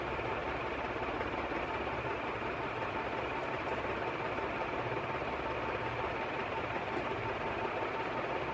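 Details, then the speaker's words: Canarm 48" three-blade industrial ceiling fan, made October 2011, arrived with a frozen motor and was heavily oiled; now spins fully but a steady rushing roar carries a coarse, gritty grinding underneath, likely a bearing. "This one here actually will, but as you can hear, there's a bit of a grinding sound."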